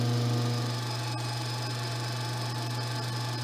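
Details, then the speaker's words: Alternator on a homemade test bench, battery half-discharged, charging at 14.4 V; two lamps then ventilation switched on as load, current rises while voltage holds. Even low hum with faint whine dipping slightly as load comes on, then steady; normal charging. "ele (alternador) mantém a tensão manteve a tensão ... agora vou ligar a ventilação viu como ele baixa a corrente puxa bem mais"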